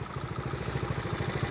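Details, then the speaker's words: 1970 Honda Trail 70 single, restarted after years sitting drained, fuel lines and clamps replaced, stabilizer added: quick even putter about fourteen firings a second, no misses or clatter; no issues, normal steady idle. "that sound brings back memories no issues just a fun little ride"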